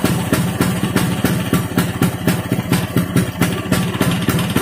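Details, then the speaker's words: Vespa two-stroke with rebuilt mixed racing gearbox, running on a bench stand: steady idle, three to four beats a second, stand rattle from no damping, no gear whine; smooth. "nah seperti itu suaranya untuk suaranya sih halusnya enggak ada Ashar Bagaimana ya layaknya motor habis di belah mesin dalemanya digantiin menurut saya sih halus"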